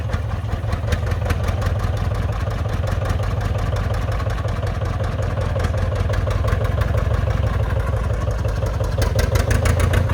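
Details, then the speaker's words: John Deere 830 Industrial two-cylinder diesel, first run in at least 20 years after water pump repair and fuel bleeding, belt-started: deep thumping settles as the lagging number one cylinder begins firing, now smoother. "Hitting on two. Did you hear that? It's a lot smoother now. So that number one cylinder is firing now."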